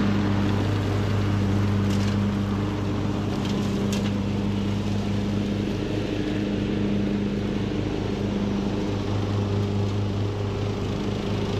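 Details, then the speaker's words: Craftsman LT2000 riding mower, almost 20 years old, after a new carburetor and mowing-deck spindles were fitted, mowing under load: steady, even low drone with no misses or knocks; engine running healthy. "all right guys well this machine is running fantastic"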